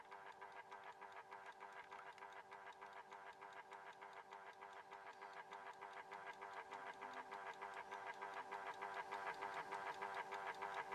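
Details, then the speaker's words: Horstmann VA Mk9 SRS2 rate-changer time switch with a 240 V 50 Hz synchronous motor, just energized with its spring reserve unwound: even whirr with regular ticks about three per second. This is normal motor whirr plus escapement ticking. "Now then, in amongst all that whirring sound, you can hear a bit of a ticking going on. Okay, that is because the spring reserve in it was unwound when I plugged it in."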